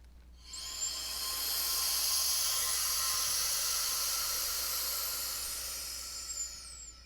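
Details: Ball valve opened on an evacuated vessel holding RTV silicone, letting air rush back in to compress the bubbles. A steady high hiss rises, holds for several seconds, then fades: normal air inrush.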